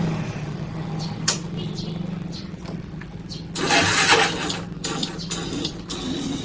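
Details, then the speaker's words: Motorcycle with dry (maintenance-free) battery that cannot start it; short sluggish starter whirr dies within a second without turning the engine over; weak battery, horn also weak. "jadi baterainya lemah saat kita starter, sama sekali tidak naik ya teman-teman."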